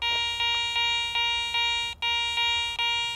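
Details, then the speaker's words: Garrett ACE 400 metal detector: repeated bright bell-like high tone, about every 0.4 seconds, for a silver coin reading target ID 75 or higher. "There's your high tone or your bell tone."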